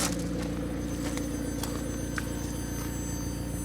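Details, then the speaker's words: McLaren 720S on a cold start, stationary: a constant high, thin whine over a low idle rumble, heard from outside or sitting at lights and not noticed while driving. "that is loud so that noise high-pitched wine I mean that's like something that comes out of your mouth so um when you're driving the car can't hear it obviously because you're driving along then everything's fine"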